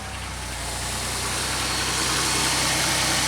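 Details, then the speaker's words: 2003 Pontiac Grand Am after repairing an injector issue that caused a misfire: smooth, even idle with steady beat and no skipped firings, sounds better right away; normal idle. "Alright, let's start it up. Huh, sounds better already. Wow. I want to know how that even happened."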